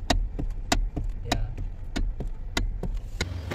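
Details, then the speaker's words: Hyundai i30 steering clunk while turning, heard from underneath with the car running: sharp clunks roughly every half second under a low engine hum from a worn spider bushing in the steering coupling, a common Hyundai problem. "ito na mga ka mechanics mga boss Para ito sa mga nagtatanong kung anong klaseng tunog ba ang naririnig sa steering ng ating m Hyundai aasan spider bushing yung pinost ko nung nakaraang video natin"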